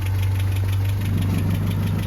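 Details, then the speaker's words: Land Rover Series 3 idling: steady low idle with an even beat and no nasty knocks; running settled and healthy. "Happy Days all running ship shape no any No nasty knocks or anything it's just very very"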